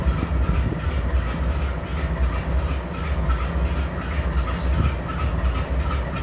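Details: GE Dash 9-44CW (C44-9W) BNSF diesel locomotive idling while keeping the air up on a grain train: heavy uneven beat with roughly one stumble a second, a misfire, with excessive smoke.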